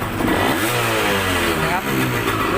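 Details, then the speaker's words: Yamaha DT125MX two-stroke, square K-type carburettor replacing a leaking NPro carb to cure hanging revs; revs climb quickly and cleanly on each throttle blip with no hesitation or bog, idle then reset, air screw about 2.5 turns. Crisp throttle response. "แล้วก็มาดูเวลาผมเร่งคันเร่งนะครับว่ารอบเครื่องมันจะเป็นยังไงนะครับนี่ครับดูรอบมันติดมือขึ้นเยอะนะครับ"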